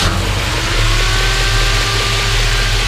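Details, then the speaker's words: 1965 Ford Mustang GT, original 289 with Pertronix ignition: deep steady V8 rumble swelling slightly on a light throttle blip and staying even; normal, very smooth idle and rev. "well, but it runs really good. Go ahead and rev it up a little bit. Very, very smooth."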